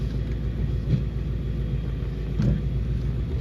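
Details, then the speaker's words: S550 Mustang GT being put in gear: low, heavy rumble with scattered dull clunks like loose items in the trunk; driveline clunking noise, cause suspected, not confirmed. "It's definitely a lot of clunking going on. It sounds like I got [ __ ] in the trunk like moving around."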